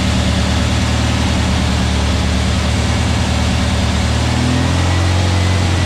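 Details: New VW Beetle 1679cc single-port flat-four with Scat C25 cam and dual Empi ITC carbs during its 20-minute cam break-in after first fire-up. A smooth, constant drone holds at elevated idle, firing evenly with no tapping or grinding. Runs healthy with no leaks; carbs still need tuning.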